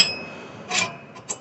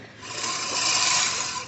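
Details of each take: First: Scotts reel mower during adjustment of the reel-to-bedknife spacing with an 11 mm bolt, turned deliberately too far: short, high metal-on-metal scraping swishes as the blades pass; the reel is set too tight and rubs the bedknife. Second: Scotts reel mower after blade sharpening and reel-to-bedknife adjustment, pushed through short, uneven, weedy grass: a crisp rasping whirr rising in even surges, cutting cleanly with no clatter or scraping.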